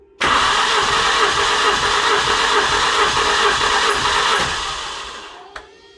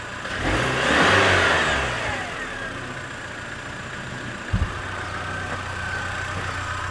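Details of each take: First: Engine during compression test with oil added to a cylinder after poor oil analysis, piston rings suspected, gauge over 18 bar: steady fast cranking churn with a whirring hum, about four beats a second, then winding down; odd spinning noise of unknown cause. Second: Car engine with poor oil analysis, restarted warm after compression testing, no error codes: fires quickly, flares up in revs for about a second, then drops to an even, steady idle with no misses; some oil smell and brief smoke.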